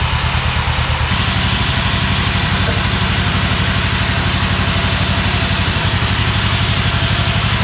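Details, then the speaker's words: Old Yazoo commercial zero-turn mower with a 76-inch deck, revived after years in a barn: even, deep thumping at about three beats a second, steady with no misses, as the twin now runs smoothly and healthy. "Yeah, she's up and running now."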